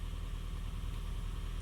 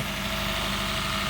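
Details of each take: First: Honda Fit GP5 hybrid, warm, at incoming diagnostics with misfires logged on cylinders: uneven, lumpy idle with irregular stumbles in the low thrum and light ticking on top; misfiring blamed on a dirty, sticking throttle body. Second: Honda Fit GP5 hybrid, cold, after valve clearance adjustment, throttle not yet calibrated: smooth, even idle hum with no tapping from the top end; valve noise gone, normal idle.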